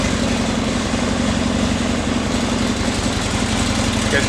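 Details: Flood-damaged 2011 Harley-Davidson XR1200X, 128 miles, new battery, fuel drained and refilled fresh, no water found at plugs: steady even V-twin idle with regular low thump, no misses or knocks; normal running.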